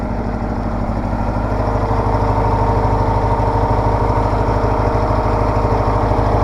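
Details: Case 446 garden tractor with an old Onan twin, started cold at about 35°F right after an oil change and new E3 spark plugs: steady, even low thumping at idle with no misses, knocks or hunting, a smooth, healthy idle.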